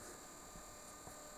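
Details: Quiet steady hum with a thin high whine, no rattle or grinding; a newly replaced cooling pump, whose predecessor was extremely loud, is running normally.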